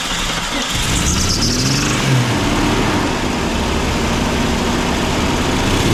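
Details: 1999 Jeep Cherokee XJ 4.0 declared dead by mechanics, first run after cap, wires and plugs refitted; catches, revs, then slightly uneven loping idle suggesting an occasional miss.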